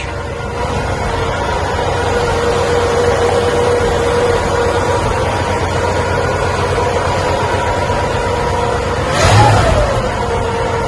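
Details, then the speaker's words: 1958 Cadillac Eldorado, 365 V8 with three two-barrel carburetors, idling outside after Muffler City fitted a near-original custom exhaust with rear resonator mufflers and factory-style mufflers; quiet, even hum, no leaks or rasp, one brief blip; factory quiet, normal idle. "Well, we got it outside. You can hear it's nice and quiet."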